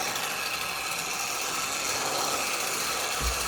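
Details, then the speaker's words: Old Hornby analogue toy locomotive, long unused: a steady, thin, high-pitched whirr with light ticking, a classic old train-set sound. The motor is running normally, though it gave off a stale electrical smell and later cut out. "Listen to that. Proper old Hornby train set sound, that is."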